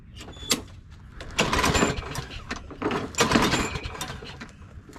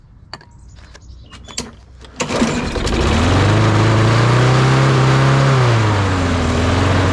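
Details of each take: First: Craftsman push mower with Briggs & Stratton 650 series engine, after carburetor replacement and priming, catches off the pull cord and keeps running with an uneven, busy clatter like a healthy mower; normal running after repair. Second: Craftsman push mower, Briggs & Stratton 650 series, started with starting fluid into the air intake; a few failed pulls, then fires and runs rough before smoothing to an even drone.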